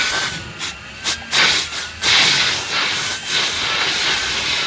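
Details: 2003 VW Golf GTI 1.8 L turbo with secondary air injection fault code, engine off, pump activated via scan tool output test: loud steady airy hiss starting then holding even; secondary air pump running normally and moving air.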